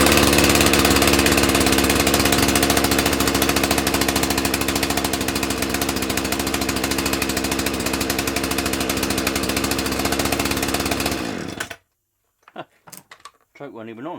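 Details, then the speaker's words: Owner's two-stroke chainsaw, unused for about two months and started on choke, said to sound like a little dirt bike: a crisp buzz revving high and settling evenly, then cut off cleanly with its working on/off switch; runs well. "let's see what the crack is with this one is this one gonna this one sounds like a little dirt bike when this one goes"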